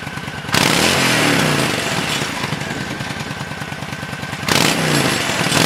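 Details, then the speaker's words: 1997 Honda VT1100CH V-twin, revived after sitting 3 years, with varnished carbs cleaned and varnish removed from the front piston, tight float setting. It runs a lumpy but steady idle with clean throttle blips and no popping or backfires, so it sounds healthy. "But anyway, a couple months later, here's what the girl sounds like."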